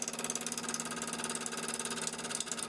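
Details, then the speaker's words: Wood lathe turning a hollow sphere, outside not yet balanced: steady hum with a fast, even throb about ten pulses a second as the off-balance piece wobbles, which will cause chatter on inside finish cuts. "Because that piece vibrating like that while I'm doing finish cuts on the inside, it's going to lend to me having some chatter."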